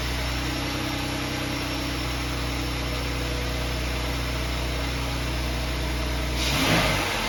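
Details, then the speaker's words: 2011 Jeep Wrangler 3.8 V6 with P0301-P0306 misfire codes, after replacing a faulty high-mileage spark plug: even, steady idle with a quick throttle blip, no missing beat or stumble; runs smooth. "I think they got lucky it's all it was nice and smooth"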